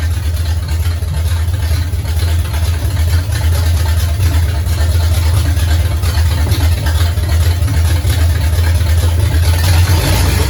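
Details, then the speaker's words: 1969 Pontiac GTO barn find with Grand Prix V8, TH400 and Quick Fuel 750cfm carb, after 17 years sitting; loud deep steady burble, no knock or tick, alternator charging 14 volts, fluid smoking off headers, some valve-cover blow-by. Normal running. "it's definitely got some blow-by out of that valve cover over there this one's got a breather but that don't mean it ain't doing the same thing but this whole bugger runs pretty good"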